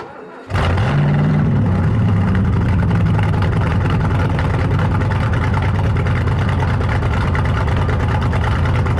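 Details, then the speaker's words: 1968 Thunderbird 429 big-block Ford V8, first start after a carb rebuild: cranks briefly, fires at once, then settles into a loud, deep, steady rumble with no misses or knocks; running fine, owner thinks he hears a slight vacuum leak. "well it seems to be running pretty good actually I think I hear a little bit of a vacuum leak but I'm not really sure where it's coming from"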